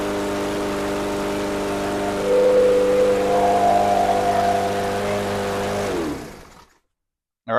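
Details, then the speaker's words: Murray EX550 push mower with a Briggs & Stratton engine that sat over winter, now running on non-ethanol gas after a carb clean and fuel drain, oil still low and dirty: smooth even hum rising slightly, clean shutoff; runs well, no leaks. "right, that sounds real good. I'm going to keep an eye on here, make sure there's no leaks."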